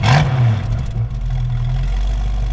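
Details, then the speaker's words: 1966 Ford Mustang convertible, heard from the rear: deep rumble swells on a quick blip and settles to even idle, no knocks or misses; a little black smoke shows occasionally, but it runs well. "Um but overall it it uh runs pretty good and uh sounds good."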